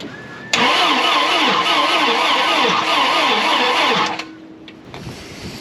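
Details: 1987 GMC Jimmy (K5 Blazer) diesel project: starter cranks in a quick even rhythm, about two beats a second, livelier after adding more power, but never catches; owner suspects poor ground or wiring, not confirmed.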